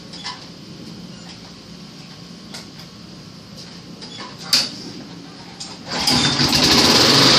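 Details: Junk mower pulled from the trash and repaired: fires on the pull and rises into a steady, even high-pitched buzz; normal running.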